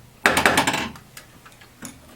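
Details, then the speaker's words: Williams Electronics' first solid state pinball machine after restoration: quick run of sharp wooden knocks, then single knocks, one per credit added; knocker working normally. "you heard that knocking sound for every credit we got."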